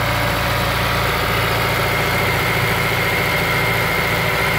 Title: S2000 engine noise cold start - after TCT install.